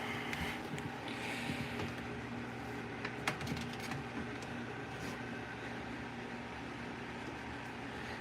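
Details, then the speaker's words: Model 3733 fan with warped rear guard: scattered light ticks and scrapes over steady fan whir and background hum; blade rubbing the guard. "we'll go for a start anyway let's see if you can hear it and it's rubbing okay"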